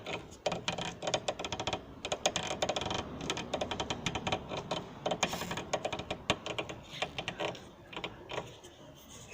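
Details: Chevrolet Meriva: dry clicks and creaks as the suspension is rocked by hand, also heard when turning the steering; worn stabilizer bar links, with stabilizer bar bushings also suspected.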